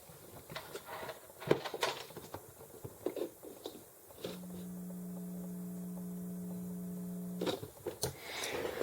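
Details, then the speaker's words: EICO 145 signal tracer, totally cold after a day off, microphone right next to its speaker: steady low 60 Hz hum immediately at plug-in, framed by handling clicks; caused by magnetic coupling between the output transformer and nearby power transformer. "so what i'm going to do is just put this camera right next to the speaker and immediately when you plug it in there's a low level 60 cycle hum coming out of the speaker"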